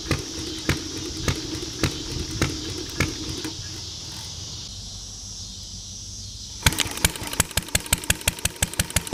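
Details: Ideal Model V throttle-fed upright engine, pull-started: slow firing pops about every half second, a quiet pause, then faster crisp regular beats; normal running.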